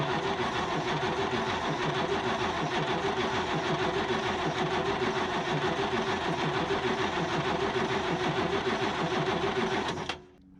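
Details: Isuzu 6BB1 diesel in a 1975 Chevy stepside, sitting since 1992, injection lines loosened to check for fuel: steady starter cranking about 200 beats a minute for ten seconds with no firing; no fuel delivered, pump being bled.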